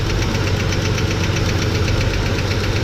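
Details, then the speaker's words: Chevy S10 running with the valve cover off while the lifters are adjusted: fast, even ticking of about four taps a second, in time with the engine. Backing off the adjustment makes the hydraulic lifter tap while it squirts oil. "so back it off and you'll listen you'll hear it getting noisy there it is now it's squirting oil there It Go did you hear it that thing's tapping away"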